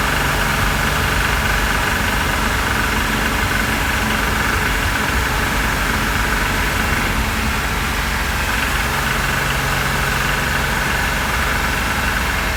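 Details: 2006 Porsche Cayman S flat-six, rebuilt engine with 40,000 km, warmed up, driving around 3,100 rpm in second and third gear, engine cover off, phone mic: faint rapid knock under engine roar; external sources eliminated, cause unknown.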